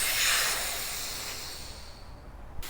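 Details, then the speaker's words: 1996 Toyota Tacoma V6 AC recharge, 90°F, low side read 20 psi: refrigerant bleed-off before vacuum gives short sharp hiss fading within two seconds; little freon left, mostly air, system low on charge. "there's not much freon left in there so it's mostly just air coming out I don't even smell the fron"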